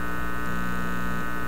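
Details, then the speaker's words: Teletone 67-600E record player after warm-up during hum and buzz reduction work; steady low mains hum with a fixed buzz on top, not volume dependent; hum level reduced but buzz unchanged, power supply hum plus a separate buzz. "but there's a definite reduction in the hum level the buzz level though is the same so there really is two two beasts in here"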